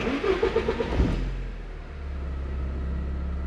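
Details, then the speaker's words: 1987 Porsche 924S with new Bosch fuel pump, warmed after idling until all cylinders fired, about 20 inHg vacuum: catches after a rough start, then settles into a steady, even idle; normal idle. "it's running so much smoother let's go for one more ride"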